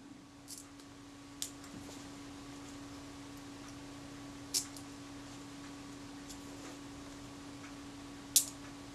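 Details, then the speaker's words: Kodak Retina Reflex S / Voigtlander Bessamatic M leaf shutter after cleaning the retard gear train and self-timer: thin buzz runs about eight seconds before a faint release click; self-timer and shutter still sluggish and not running correctly. "the shutter whole deck the self-timer sluggish enough sound sluggish in the shuddered at fire so it's by no means running correctly"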